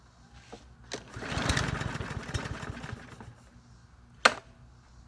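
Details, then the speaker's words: Troy-Bilt TB110 push mower, 550ex 140cc engine with auto choke, replaced carburetor, smelling of gas: catches, runs rough about two seconds, then dies; starts then stalls, owner suspects a fuel-soaked air filter. "okay so I was trying to run but it shuts down let's try it again"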